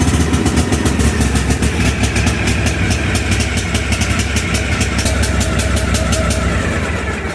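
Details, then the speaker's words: Cub Cadet LTX 1142 KW riding mower with Kawasaki FR600V engine: loud, lumpy, uneven running that never settles, with black smoke, after the choke is turned off, because the carburetor choke lever sticks engaged from dirt. "We're going to shut the choke off, and you're going to hear that the engine's running rough, and you're probably going to see a whole bunch of black smoke coming out of the muffler."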